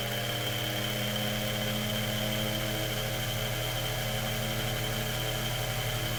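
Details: Mainstays 9-inch high velocity fan just after lubrication and blade balancing; smooth constant whir with a steady hum and no rattle, scrape or wobble at top speed; healthy motor.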